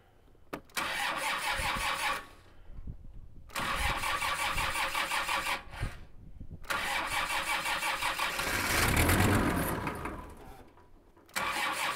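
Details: Kubota M5700 tractor, 5-cylinder engine of almost 60 hp, just after fuel lift pump replacement: engine catches, runs a few seconds, dies, fires again and fades. It still stalls; the new lift pump didn't fix it, so fuel supply to the pump is suspected.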